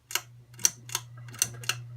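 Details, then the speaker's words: Ceiling fan with light kit removed, on a bad capacitor: starts on its own after the chain pull but runs slower than it should, with low steady motor hum and sharp irregular clicks; slow running from failed capacitor. "when I pull the chain as you can see it starts up on its own but as it doesn't go as fast as it should be"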